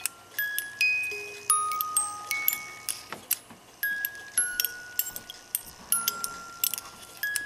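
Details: Music box of a 1980s one-day chalet cuckoo clock with dancers, after adjustment, on a desk as sounding board: bright plucked notes in a steady unbroken tune, no drag or stall; playing properly.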